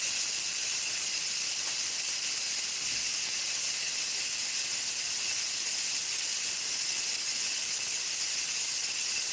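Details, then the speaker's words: Nesco electric pressure canner after chicken canning cycle finishes, valve turned from airtight to release and unplugged: steady loud steam hiss, quieter than before, as pressure bleeds off normally. "So, if you hear that pressure, it's not as loud. So, what I need to do now is take it from air tight and turn it and then I unplug it."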